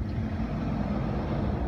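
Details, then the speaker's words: Dodge/Chrysler/Jeep, running with PCM 5V reference bypassed via USB charger: weak low rumble with uneven pulse, needs throttle to stay running; only code idle air control valve motor circuit, suspected cause of rough idle. "that could definitely play a role why it's not wanting to idle properly"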